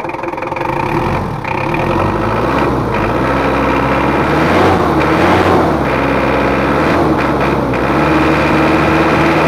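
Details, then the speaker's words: Mitsubishi Kuda diesel after engine rebuild (nozzles and head not serviced), complaints of rough sound, thick smoke, high fuel use: harsh clattery uneven idle; injection pump pressure off, missing ring in lower injection pump. "sudah kita hidupkan terus untuk suaranya itu agak kasar nanti kita setting dan ditekan and inner pressurenya ini kurang pas"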